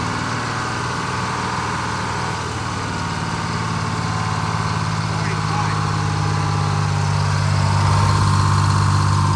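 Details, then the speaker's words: Detroit Diesel 6-71 in a 4104 bus, after coolant-in-oil contamination and oil changes: idle slowly rises and falls, hunting; adjustment deferred until contamination cleared. "yeah for idle just got that hunt but I don't want I don't want to adjust that until we get all cleared out of there"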